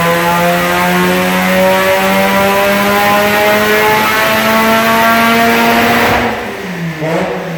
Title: Fc3srx7 On the dyno making noise